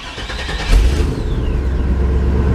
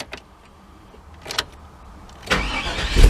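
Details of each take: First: 1998 GMC OBS truck with intermittent start-then-shutoff problem; engine catches after short crank and settles into steady low idle without stalling; engine starts and keeps running. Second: 1998 GMC OBS truck with intermittent starting issue; short crank, engine catches and revs briefly then dies as anti-theft light blinks and fuel pump seems to cut off and on; owner suspects wiring that responds to wiggling.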